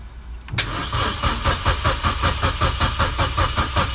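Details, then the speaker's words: 2009 Vauxhall Corsa D 1.2 petrol on a jumped battery: the starter cranks steadily with no firing, a crank-no-start with fault code P0335 from a failed crankshaft position sensor giving the ECU no signal. "The car just crunks and it doesn't start."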